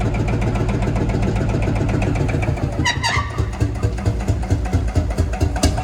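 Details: Field Marshall Series 3A single-cylinder engine on its first start after a rebore and oversize piston, fitted after a piston ring snapped, likely from bore pitting. Steady, deep thump a little over two beats a second with no knock or miss; normal running, better than before.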